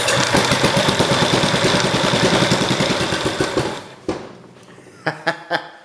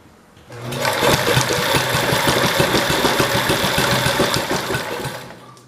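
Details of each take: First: Kohler K181 small single-cylinder engine, with spark confirmed and idle raised after it wouldn't stay running at a too-low idle: thumps steadily at about three and a half beats a second, then shuts down with a few pops. Normal running. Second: Kohler K181 single-cylinder engine on priming fuel, spark confirmed; it catches, pops unevenly for a few seconds, then fades and stalls, fires then dies.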